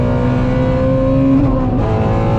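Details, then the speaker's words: Ford Mustang GT350R after new tune from Palm Beach Dyno to fix a long-standing issue, advanced track mode off: healthy wide-open-throttle pull, smooth climbing pitch, no stumble or cut between shifts; driver says it's ripping, way different. "Like I was slow shifting because I don't know what it's gonna do, and it's ripping. That is way different."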